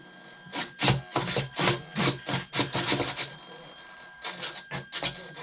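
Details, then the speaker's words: Trojan T-28 RC plane aileron servo after a crash: bursts of buzzing servo travel, about three a second, with uneven popping clicks when moving down; a stripped, bad tooth on a servo gear. "you hear it kind of pop and when i'm going down it'll kind of see that it's got a bad tooth on one of the gears in the servo"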